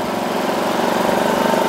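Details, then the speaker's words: 2.3kVA generator, no load, just started: engine idles steadily and its pitch rises slightly when the eco-idle switch is turned off, then drops back to minimum rpm when switched on; normal behaviour. "オフにするとちょっと回転上がりますねでオンにするとおしくなるという感じですかね"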